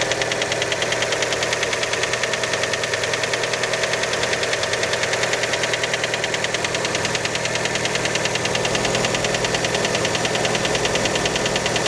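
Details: Fiat Panda engine after a cold start: a sharp, even knock, about three per second, over the cold idle. The piston skirt is widely suspected, but the source still needs tracing.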